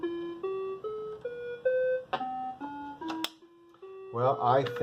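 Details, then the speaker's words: Commodore SX-64 after repair, faulty SID chip replaced with a SwinSID Nano, playing a musical-scale program then Burger Time: clean rising scale of evenly stepped, steady, clear notes with no buzz or dropouts; sound output now normal. "and that's what Burger Time sounds like on our repaired SX 64 with a nano squinted"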